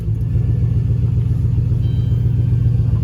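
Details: Turbo 6.0 LS with 4L80E in a Caravan, just started with knock sensors disabled, left in drive: deep lumpy V8 idle at a steady pulse, no knocks or misses, sounding healthy. Then runs very rich.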